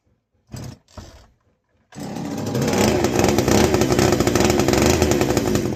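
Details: Castor 330 Antivib chainsaw (rebranded Alpina), before teardown: catches after a couple of pulls and revs up crisp and steady, no stumbling; sounds like a strong runner.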